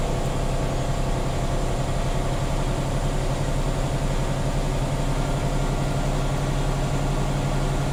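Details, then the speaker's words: Tractor-trailer air brake inspection, diesel revved up to refill air to governor cut-out before the three-way brake test: steady deep drone at raised revs, no knocks or hiss; compressor filling the tanks normally. "And I will once again fill it all the way to governor cut out. Because we are recording, I'm going to rev up the engine to about 10,000 RPM."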